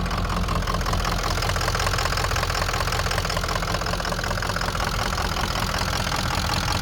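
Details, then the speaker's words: 2004 Ford F-350 6.0 Powerstroke turbo diesel runs lumpy and rough, stumbling about twice a second and nearly stalling, with no power, hard start and long crank; caused by a melted body wiring harness above the turbo. "so here's a video of the truck running it's running really crappy really rough and it has no power you can hear"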